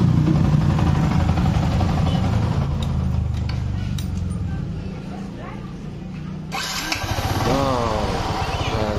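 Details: Yamaha R15 that was dead and would not start, with weak compression, just rebuilt after something was found jamming the valves: low, even single-cylinder idle thump, a brief stop, then it restarts straight away and settles. Normal start and idle.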